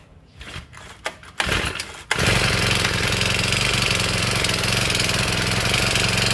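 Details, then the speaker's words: Honda GX35 brush-cutter engine, over 10 years old, runs with a busy rattling clatter after coil gap (0.20 mm) and valve clearances set; noise reduced slightly, but worn piston rings, loose engine remain. "รุ่นนี้ถ้ายังไม่เคยทำเครื่องก็จะอาการเสียงก็จะดังแบบนี้นะครับดังแหวนดังอะไรมันจะหลวมไปนะครับ"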